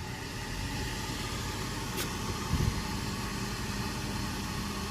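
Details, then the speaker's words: Rooftop gas heating unit firing at about 7 in. water column inlet, regulator reading 3.3 in.: fan rush, sharp click, then a dull delayed thump as burners catch; gas pressure appears too high, cause suspected. "that was terrifying and we're still sitting at about seven inches of water column"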